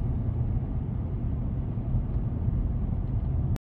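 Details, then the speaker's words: 2011 Nissan Rogue after replacing spark plugs and coil packs for rough idle, misfires, vibration and P0300 code: smooth, low, even rumble while driving with no stumbling, surging or vibration and no codes; normal running after repair. "so the idle is high because the computers relearning but it's nice and smooth and there's no engine spiers while driving or vibration"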